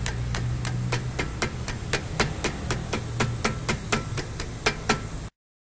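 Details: Compass SUV with a suspension-like noise over bumps that several shops could not find: sharp creaking clicks about twice a second over a low rumble; traced to the brakes, calling for a brake clean-and-adjust with the discs resurfaced.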